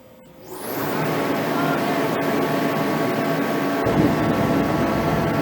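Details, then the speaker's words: HeatStar 185,000 BTU diesel/kerosene forced-air heater that sat weeks on a snowbank, had bad algae-laden diesel and was cleaned, now on about two gallons: fan spools up into a steady even roar with no sputter; working normally. "okay it's working we're gonna shut it off"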